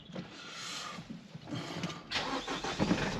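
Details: Car after new alternator and starter motor fitted, some pipes and sensors still disconnected, battery condition unknown: quick steady cranking for a couple of seconds, engine catches cleanly and settles; normal start-up.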